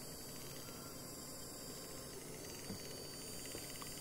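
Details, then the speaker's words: Graham Farish GNER HST power car, running slowly: faint, even motor hum with no catching, clicking or grinding. Normal running after a too-thick gear on the worm gear was replaced with a thinner one. "we'll go the other way so what it was was the gear was too thick for the worm gear so that that is it um hurrah"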